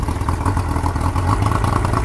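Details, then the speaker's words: Boat outboard run just after the lower drive was reassembled; it is loading up and smoking. Low uneven chugging with loose clatter and no steady beat. The owner suspects the carburetor bowl needle jetting isn't right. Rough running, suspected float needle fault. "we think it's something's wrong i don't know says he doesn't think the needle jetting is quite right"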